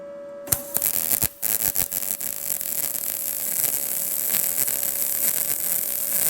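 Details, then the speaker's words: Arccaptain MIG200 inverter MIG welder on a tacked, elevated joint; a few sharp pops, then a steady, even crackling hiss with a faint hum; result judged a nice weld with full penetration and no burn-through. "proof is in the pudding nice weld full penetration didn't burn through so I mean I don't know what else to tell you guys this pretty wicked little welder"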